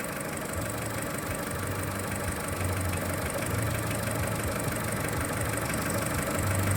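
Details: Skoda Fabia 1.4 at cold idle: uneven knock about three to four a second, heard mostly from below near the timing belt and audible from a distance, with faint cold hydraulic lifter clatter; dealer says piston slap and normal, cause unresolved.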